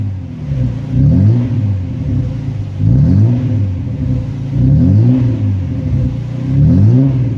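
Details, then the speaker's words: VL Commodore first start after sitting a while; low rumble surging unevenly instead of holding steady at first, then sorting itself out; owner suspects dirty fuel, not sure. "I'm running a little bit right there at the start I think it was just getting rid of some dirty fuel I'm not too sure but it seems to a sorted itself out now"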